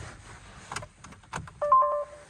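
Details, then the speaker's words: Citroën C3: key clicks, then a short two-tone warning chime with no cranking; "anti-pollution fault, start prohibited" from an AdBlue system fault persists after the code was erased with a basic scanner. "On va essayer de démarrer. Il met toujours le défaut."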